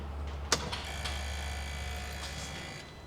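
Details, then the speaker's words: UTV with new aftermarket fuel pump, key cycled on: click then faint steady electric hum for a few seconds tapering off as pressure builds, louder than the original pump, no leaks; normal priming. "It's cycling. It's pressuring up and then kicking back off."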